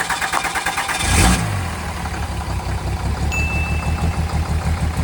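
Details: Vehicle on a Cape York trip that previously would not run because it could not get fuel, rock lights unplugged: cranks about a second, fires with a rev, then drops to a fairly even pulsing idle; now starts and runs, may still misfire.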